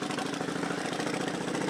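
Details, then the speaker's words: 2000 Kawasaki VN1500, UK model, 32K on the clock, unused for several months: fast, even ticking over a steady V-twin idle, too regular for the timing chain; suspected valve clearance noise needing adjustment. "it sounds like from listening to the engine it's all sounds sweet enough but i can hear a um like a valve clearance noise so that might want an adjustment there"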